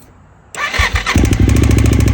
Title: Ticking sound in tl1000s